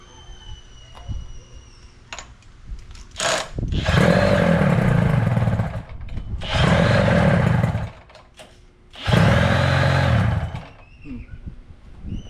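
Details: 1983 Evinrude outboard after power unit work, started with starting fluid and primed bulb: three strong revving bursts about two seconds each with quieter idle between, picks up cleanly and runs smoothly; normal running.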